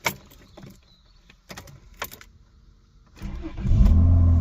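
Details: Rover 800 Sterling Coupe with 2.5 KV6 engine, replacement engine fitted after water pump failure and new alternator: a few quiet seconds, then a short crank, catches cleanly and settles to an even idle; starts fine.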